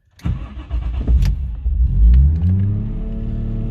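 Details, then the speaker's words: Toyota starting after being disconnected for a Nardi steering wheel install: it catches and holds a raised, steady idle without hunting while the computer relearns; it comes back down with a throttle tap or restart. "She's revving a little bit high because the computer's got to relearn because I did disconnect it. It'll come back down."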